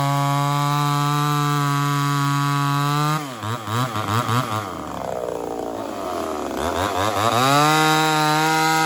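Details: Ported Homelite Super XL-130 chainsaw on its final test run after the loose, self-turning idle screw was sorted: high, steady whine bogs into the wood, pulls through and revs back up cleanly; normal running under load.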